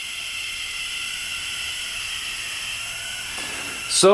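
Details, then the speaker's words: 2006 Yamaha YFZ450 quad, engine stopped with cylinder pressurized in leak-down test: steady airy hiss as air escapes into the radiator; head gasket failure, leaking compression into the cooling system. "looks like we've got a head gasket failure"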